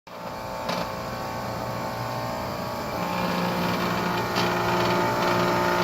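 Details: Outdoor unit of a new Trane XR air conditioner running with a steady loud electrical buzz and rattle from a solenoid vibrating inside, next to the control board; fixed by zip-tying the solenoid.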